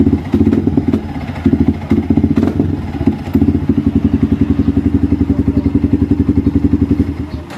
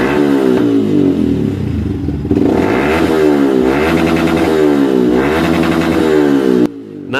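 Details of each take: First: Yamaha Vixion motorcycle stumbles and sputters unevenly when throttled, then settles into a lumpy idle; fuel starvation traced to the fuel pump, with fuel flowing nonstop from the injector hose indicating a problem in the pump assembly. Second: Yamaha Vixion that bogged and stuttered when revved, now fed by an external fuel infusion rig instead of its fuel pump: revs climb and drop smoothly to the limiter with no sputter, pointing to the fuel pump.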